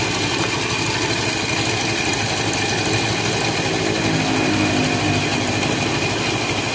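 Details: Honda Beat FI scooter whose starter only clicked due to a weak battery, started with charger assist, charging at about 13.7–14 V: the small engine ticks over at a quick, even beat with no knocks or stumbles, a healthy idle.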